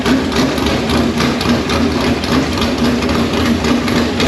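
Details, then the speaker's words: V8 in Conqueror chassis, first fire-up on open headers, no radiator fitted so run briefly: loud raw rumble at fast idle, steady firing, no misses or knocks; healthy. "Sounds like a motor. Sounds like a motor. All right, she's alive."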